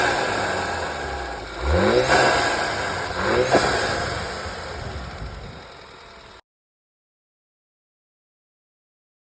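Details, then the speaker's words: Skoda (model not stated) fitted with an eBay pod filter intake, first drive after install: revs climb twice with loud intake roar and a sharp whoosh at each lift; normal turbo blow-off and intake noise. "Obviously, when I give it some power. Oh, dude. I don't know if you guys can hear the blow off."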